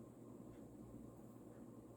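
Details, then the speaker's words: Vintage, probably early-mid 1980s Union Ngok Kee 36" 'Super-36' spinner ceiling fan, model 4CLW-3SPC, on medium in reverse, faster and slightly more wobbly: quiet even whoosh over a low steady hum, no clicking or rubbing, running normally. "i think medium's a fair bit faster in reverse it looks like and it's a little bit more wobbly"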